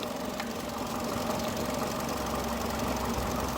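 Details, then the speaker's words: 2002 Mercedes A-Class with expired MOT, engine idling: light, fast clicky rattle around four a second with a buzzing vibration, new since before; owner notes noise is worst from cold start; something loose or worn, cause unclear. "Sounds like a little clicky kind of vibrating sound. It wasn't like that before."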